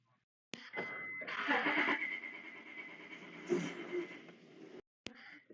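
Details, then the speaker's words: 2001 Honda Odyssey: starter turns engine over about four seconds but it never fires, crank-no-start; flashing green immobilizer light can mean wrong or bad key or immobilizer problem, not confirmed. "2001 Honda Odyssey crank no start"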